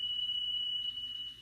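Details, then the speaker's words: Car stereo cassette deck playing a test tone with massive, intermittent tape speed flutter that comes and goes; belts already replaced and deck cleaned and lubricated, so the failing speed-regulated drive motor is blamed, to be repaired. "It's got a massive flutter problem. Now, this is, I've seen some that were far worse than this."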